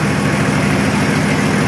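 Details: Nissan Patrol Y60, TD42 turbo diesel, idling after 9 months in storage; steady, even rumble with low drone, no knocks or misses: normal smooth idle.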